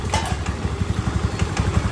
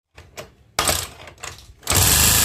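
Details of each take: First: Honda Beat scooter after an engine teardown and oil-filter cleaning, having previously stalled with a rough idle: a quick, even single-cylinder putter at idle with no knock or rattle; it now idles cleanly. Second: Honda Beat scooter, engine recently rebuilt after a costly prior service, stalled and idled heavily; oil shot into spark plug hole; on starting, harsh clattery rough idle with fast uneven chatter, very noisy engine; problem suspected in piston or decompressor.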